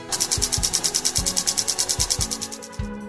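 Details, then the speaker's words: Canon 6D Mark II that hummed at power-on from worn shutter drive gears: after replacing and lubricating the gears, crisp, even shutter clicks fire in a rapid burst, seven or eight a second, with no grinding or extra sound. "теперь камера включается и постороннего звука больше нет"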